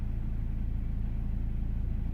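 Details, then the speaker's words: 2008 BMW X3, believed 2.0 litre diesel, idling after refitting a pipe that came off because its clip was fitted backwards. Steady, even low rumble with no whistle, hiss or knocks; sounds way better, normal idle. "sounding way better, completely different. Yeah, that's good."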